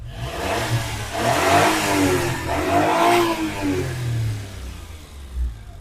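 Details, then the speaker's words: Daewoo Damas with petrol engine just after injector work: engine blips up and settles back cleanly, with a smooth rise and fall and no misfire or rattle; sounds healthy. "mana ovozlar ham ko'rib turibsizlar juda chiroyli zo'r holatda yo'lida chiqqan o'shani gazini bosa o'tib ketaman deb turibdi mashinamiz"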